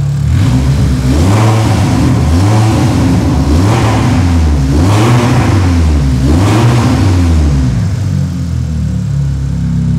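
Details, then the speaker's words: VW Golf tuning project (claimed ~700 PS), newly finished, still lacking exhaust and second fuel feed, briefly warmed up and not yet run in: loud raw open-pipe idle with four quick throttle blips, revs rising and dropping cleanly; healthy, idle estimated 80-81 dB. "Kann man Gas geben? Geht das? Kein Gas, das geben. Ich habe den vorhin schon ein bisschen laufen lassen. Ein bisschen durchgewärmt ist er."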